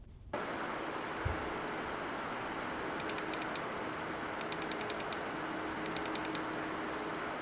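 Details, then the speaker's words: MSI RTX 4090 Suprim graphics card under typical load in a Ryzen 5800X3D system: steady, even airy fan whoosh with a faint low hum, normal noise; this card is also noted for coil whine. "What about noise levels? Well, this is what the GPU sounds like under typical load."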